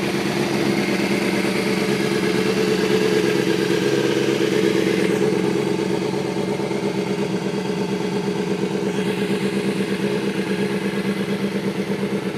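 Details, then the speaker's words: 2005 Kawasaki ZX-6R 636cc track bike, 7,219 miles, Muzzy full exhaust and Power Commander, warmed up: steady, even idle with a quick regular exhaust pulse, no knocks or misses. "sounds like it just about warmed up see it's running really smooth no issues"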